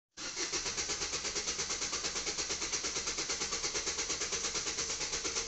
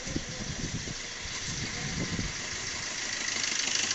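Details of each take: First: Maruti Vitara Brezza diesel with long, sometimes instant starting and engine noise: steady cranking about three turns a second for six seconds without firing, pause, more cranking; cause a stretched timing chain. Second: Maruti Vitara Brezza diesel with long-cranking starts and timing chain noise, after timing chain work with timing locked: steady, even idle with a smooth, regular beat and no rattle or slap from the front; healthy.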